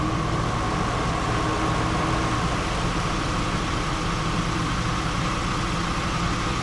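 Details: 2005 Jeep Liberty idling, A/C at maximum while refrigerant is added with manifold gauges: constant faint whine and no on-off cycling; above the low-pressure sensor threshold the compressor clutch stays engaged, fixing the short cycling, and the air comes out cold.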